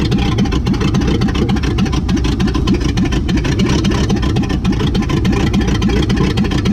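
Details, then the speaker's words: 1959 AMC Rambler Ambassador V8 first start after sitting in a Texas field since 1982, little fuel, dual exhaust fallen off, rat debris expelled; loud open-pipe rumble with uneven loping beat, running rough, possibly sticky valves/rings. "looks like we got a runner boy the dual exhaust fell off but look at all this rat stuff that fell out"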